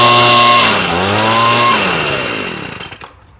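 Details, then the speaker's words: Echo leaf blower two-stroke after a carburetor rebuild; high, buzzy note dips briefly, picks back up, then winds down smoothly, sounding pretty good for an old blower. Normal running. "Sounds pretty good for an old blower. So, she came out pretty nice."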